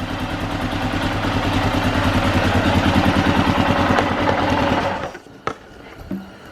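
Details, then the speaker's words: Rebuilt Arctic Cat 650 H1 ATV at first run after engine reinstall, carb not yet adjusted; steady, even single-cylinder beat of about three firings a second before a clean shutoff, running healthy with good oil pressure, though a clutch-cover oil leak was noted. "only that she runs good since they're not ido we haven't done any adjustment with the carb yet"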